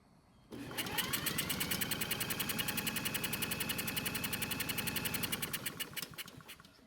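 Steady fast cranking, about three to four even pulses a second under a drill-driven spin, no misses or odd knocks; compression sounds strong and healthy.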